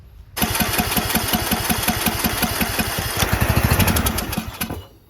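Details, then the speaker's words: Briggs 19.5HP engine on a John Deere LA110 lawn tractor, rebuilt after being hard to turn, possibly flooded: catches and chugs unevenly for a few seconds, then fades and dies; fuel in the bowl but not rising through the emulsion tube, dirty carburetor. "Okay. So, it means that fuel is in the bowl, but it's not going up the emulsion, which means carburetor is dirty."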